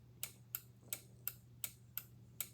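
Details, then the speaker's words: PCB relay bench test with the coil energized: sharp, crisp, even clicks about every third of a second over a low hum; the contacts and coil are fine and the relay switches properly. "so the contacts of this relay are just fine together with the coil you can hear the relay making noise"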